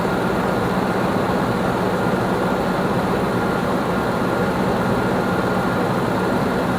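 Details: 2006 Nissan Armada 5.6 V8 (body 185,000 miles) freshly swapped and running after crank sensor replacement: a steady, even idle with a smooth low rumble and no knocks or misses. Normal, healthy idle.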